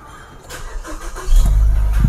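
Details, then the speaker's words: Car started with key on, AC button pressed and only the blower running, no cooling: brief steady cranking, catches after about a second and settles into a firm low rumble; normal start, no extra load from AC. "Oke jadi untuk starter kita eh masih di kategorikan normal Heeh dalam artian eh di sistem AC itu tidak terbebani ya atau mesin tidak terbebani dengan sistem AC yang menyala tadi"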